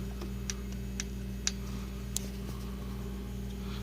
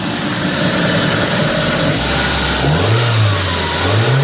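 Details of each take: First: 1997 Mitsubishi Mirage LS 1.8L 4G93 with mechanical lash adjusters: sharp light ticks about twice a second over idle, worse when pulling away, from excessive valve lash before adjustment. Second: 1997 Mitsubishi Mirage LS coupe 1.8 L 4G93, just after adjusting its mechanical valve lash to cure valve noise: engine blips up and settles back smoothly twice with no ticking. Sounds normal again.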